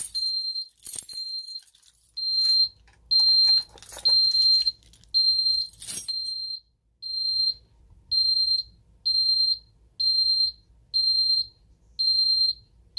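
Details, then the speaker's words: Ademco 6139 alarm keypad during a zone test: a high, shrill yodelling tone pulses about once a second with a warbling edge for an alarm 08 intrusion, then is silenced. "You can hear this one yodels as well. Let's silence that. There's alarm 08, intrusion alarm, and alarm canceled."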